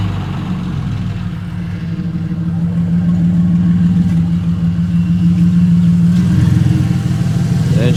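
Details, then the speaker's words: Car after the bell housing, flywheel and starter were refitted, running with no exhaust fitted; loud, raw, steady firing settling into an even idle with no knocks or grinding; runs cleanly. "It's currently got no exhaust right now. But she's running and she sounds pretty good."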